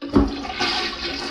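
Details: Mansfield elongated toilet that came with a house built in 2001, before replacement: a loud rushing gush of water that settles into a steady swirl and drain. An ordinary, healthy gravity flush.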